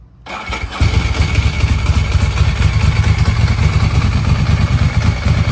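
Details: Ducati Paso (1993 or 1988, barn find sitting many years): short crank, then it catches and settles into a firm, even twin idle with no misses or rattles; starts and runs healthy.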